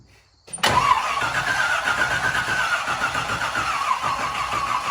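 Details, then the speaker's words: 1968 Chevy K10 pickup with swapped 327 V8, first start attempt, 12 volts confirmed at the coil: after brief silence the starter churns the engine at a lazy, dragging pace with no firing; slow cranking from low battery. "okay we're getting the correct voltage coming here and it turned over but the battery's a little low"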